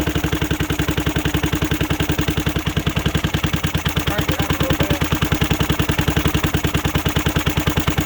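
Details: 2006 Zhejiang Kangdi 250cc kart with a big-bore cylinder, first run after rebuild: a crisp, even single-cylinder beat of about three and a half pulses a second at steady idle with no stumbling. Healthy running engine.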